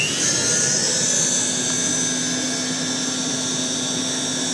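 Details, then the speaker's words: 1940s Eureka Roto Matic Model 800 vacuum with a long hose and a cloth bag, strong airflow: a smooth, steady high whine and airy rush with a faint low hum, sounds like a furnace but quiet, no rattle. Normal running. "like I said it sounds like a furnace but it's probably my quietest machine by far"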